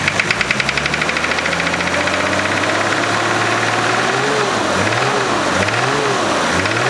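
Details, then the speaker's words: 1991 Nissan Patrol GQ TD42 naturally aspirated diesel: regular knock in step with firing at idle that persists as revs climb; previous owner says it dropped its oil and calls it a rod knock, source unconfirmed. "and now it has a what he said was a rod knock but I'll I'll start the video up or I'll start it up and I'll show you exactly what it sounds like"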